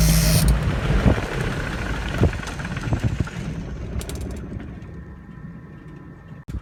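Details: Engine #2 of aircraft N3318Q after cowl check and run-up: low even drone dying away smoothly at shutdown, no knocks or grinding; normal running, ticking afterwards as it cools.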